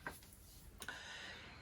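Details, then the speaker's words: Charisma 570 touring caravan gas boiler (water heater), grey bezel turned to the flame position: a couple of sharp, faint igniter clicks in a quiet room as it tries to light. A green light means successful ignition; this is the normal ignition click. "you will then hear the click which is the boiler trying to light if it lights successfully you will have a just a green light"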